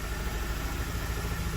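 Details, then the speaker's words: Mazda 6 2.2 Skyactiv diesel idles roughly with a distinctive misfire, seemingly running on three cylinders, engine shuddering. Check engine light on with no fault codes; injector testing/coding and fuel replacement followed. "Starts, but you can hear a very distinctive misfire. So running on"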